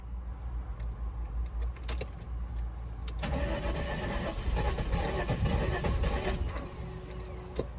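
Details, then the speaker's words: 1999 VW Eurovan VR6, parked five years, new battery fitted: starter churns about four beats a second for several seconds, never fires; cranks no start, owner suspects not enough fuel reaching engine. "maybe it's maybe the fuel isn't quite up there yet"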